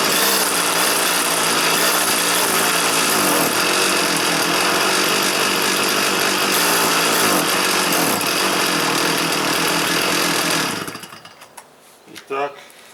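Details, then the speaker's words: Stihl FS 400 brushcutter, started indoors on choke: buzzes at a flat, steady high note that won't rev up, then cuts out; inlet needle stuck from old fuel. "завелась але не розвиває оберти проперевірю чи не забитий фільтр"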